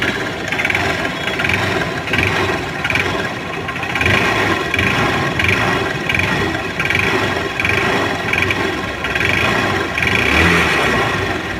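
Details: CBZ Xtreme motorcycle, about 44,597 km (reportedly over a lakh), running with a light regular ticking over idle, about three per second; suspected piston noise, head and block to be opened to check play.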